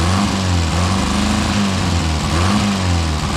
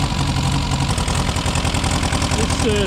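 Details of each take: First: Four-cylinder car restarted after sitting about 35-40 years, no adjustments made: uneven, lumpy idle with dropouts; mostly firing on four cylinders, running rough, owner suspects timing is off. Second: Car restarted after sitting about 6 months, choke pushed in, temperature rising, little smoke: even, steady four-cylinder idle with a smooth low beat and no misses or tapping. Normal idle.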